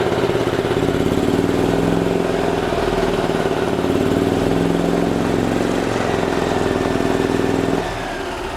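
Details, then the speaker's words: 2008 Yamaha Drive gas golf cart with a strong fuel smell, after its carburetor was cleaned of debris and the PCV hose refitted: it starts right up into a smooth, steady idle with no stumbling, no fuel leaks, a normal idle. "no joke started right up that's how it's supposed to be"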